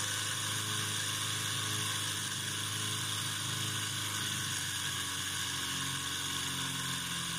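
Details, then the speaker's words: Homemade DC motor spinning at high rpm: steady whine with a low constant buzzing vibration from a shaft imbalance that developed from a tiny imperfection; it ran smooth when first started. "now that vibration that you could hear that wasn't happening when i first started the motor"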